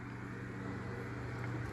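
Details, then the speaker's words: Edison Deluxe 9-inch oscillating fan 094002 on low speed after cleaning and oiling its totally dry bearings: steady even low hum with no rattle, squeal or scraping; motor runs smooth and quiet. "so we'll turn it on low speed i have cleaned and oiled the fan already it needed it that's for sure the bearings were totally dry these are really high quality and good running fans"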